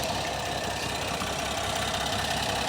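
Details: 2025 Ram 1500 Rebel, SST twin-turbo inline-six, 2500 miles, at idle: uneven stumble with irregular soft thumps under hiss; misfire, with heavy tailpipe condensation and coolant below max mark noted.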